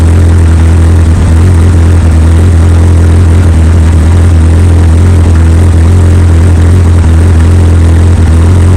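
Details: 2003 Yamaha R1 four-cylinder with full Akrapovic exhaust on first start, check engine light showing code 18: deep, even burble with a smooth steady beat and no ticks, knocks or hunting; normal idle.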